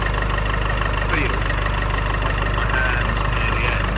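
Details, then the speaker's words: 2009 Land Rover Freelander 2 XS idling after an air intake upgrade, with the crankcase breather hose off and venting during catch-can fitting. Even, steady idle at about three beats a second with no misses or knocking. Sounds normal; normal idle. "Immediately I noticed no difference at all. It sounds exactly the same as normal. The engine is running the same as normal."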